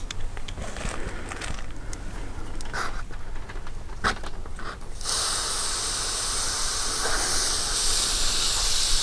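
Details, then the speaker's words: Mr Cool Advantage 12K ductless mini-split install, line-set service valve covers removed at the outdoor unit: a loud steady hiss as the factory nitrogen holding charge bleeds off. This is normal. "i'm told that there could be a little bit of nitrogen in here so just kind of be prepared for a little bit of you know outgassing when you take these covers off"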